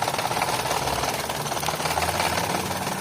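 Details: 2011 Toyota Vitz, code P0303: uneven, lumpy idle with irregular stumble from cylinder 3 misfire, caused by a faulty pulse wire to the number 3 fuel injector.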